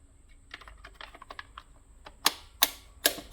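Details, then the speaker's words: CAT portable LED worksite light during teardown: light, crisp clicks in short irregular runs as the spring-loaded piece in the handle locks into grooves; normal handle detent action, nothing wrong. "um so that pushes down against that and it locks into those grooves that why you can hear those clicking and that locking into the different"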